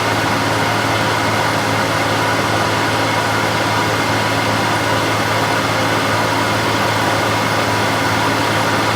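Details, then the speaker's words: Older wood lathe spindle at about 1620 rpm, steady even hum around 65 dB average, similar to the new Harvey lathe before its bearing replacement; no knocking, grinding or whine. "So the average is around 65 again, so they are quite similar."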